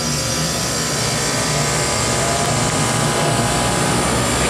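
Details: 2012 ChillKing 6 hp glycol chiller with Copeland scroll compressor on a run-off test, differential set to one, cooling down to 27: steady even roar with low hum, no knocks or rattles; compressor running normally.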